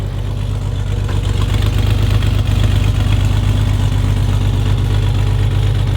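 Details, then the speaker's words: Chevrolet S10, mic at tailpipe: loud even idle with steady low pulse, no stumble or miss; running smoother and cooler after vacuum leak fixed, normal idle. "She seems to be running smoother. She's running a lot cooler since I fixed that vacuum leak."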